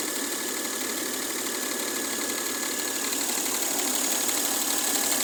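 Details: Mercedes W212 with M272 V6 at idle: quick, even clacking around four per second over a steady idle, a sharp metallic tick; owner thinks it comes from one area of the engine, source not pinned down.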